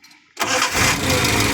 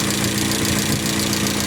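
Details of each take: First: Towed-in van that would not start, now repaired, stock carburetor, engine still cold; near silence then fires at once and settles into steady idle without cranking or stumbling: normal easy start. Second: Van towed in as a non-starter, idling with a light, quick ticking over the engine note; noisy tappets from excessive valve clearance, tappets that push the pushrods to open the valves need readjusting.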